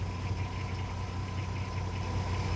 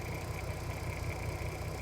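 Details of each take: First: 2007 (57 plate) VW Golf R32, 3.2 V6, about 92k miles, idling before a carbon clean; owner says it sounds rattly: fine uneven rattle over a low engine drone. Rough rattly idle, cause suspected, not confirmed. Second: 2007 (57 plate) VW Golf R32, 3.2 V6, about 92k miles, idling near the end of a one-hour carbon clean: even, steady low rumble, no knocks, misses or hunting. Quieter and smoother than before, normal idle.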